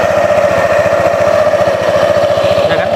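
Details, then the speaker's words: Fairly new Honda PCX scooter at idle after CVT reassembly; fast even idle with light repeated klotok knock from front of CVT: worn, loose front pulley roller housing that should be replaced. "Nah jadi tadi penyakitnya yang klotok-klotok yang ini otok-otok kan gitu ya."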